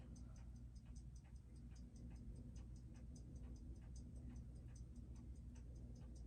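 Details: Seiko 6R15-01B0 movement after service, balance hairspring needed real intervention; crisp, even ticking about six per second with no skips over low room hum, heard through thick case; movement beating healthily with good amplitude.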